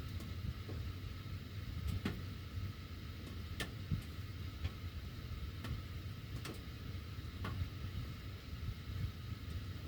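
Sharp, uneven ticks about once a second over a low furnace rumble: the ducts ticking while the heat runs, cause unclear.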